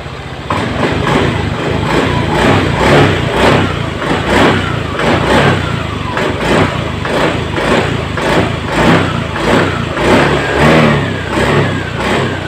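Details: Honda Beat Eco injected scooter after fixing the TPS sensor wire chafed by the air filter box, previously stalling when throttled; clean quick throttle blips rising and falling crisply with no stumble or bog: normal throttle response.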